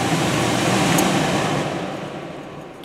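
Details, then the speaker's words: Furnace air handler PSC blower motor on the yellow (higher speed) wire: faster rev-up and steady, loud airy rush, even, with no rattles or squeal; running normally at high speed. "there was definitely a faster rev up with the yellow wire and as the blower is running it's definitely louder which indicates a higher speed and obviously more airflow"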